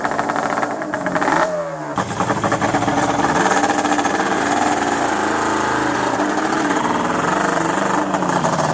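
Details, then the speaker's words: Cold Banshee 350 two-stroke, first start after 6 months' storage, fresh premix fuel and drained carb bowl: burbles and blubbers unevenly at low revs and never smooths out. Rough cold running; riders think it just needs warming, not confirmed. "I I can't tell if it's just cold or I know it's cold yeah warm it up take it for a ride cuz it always rides like that in the beginning you when they're cold"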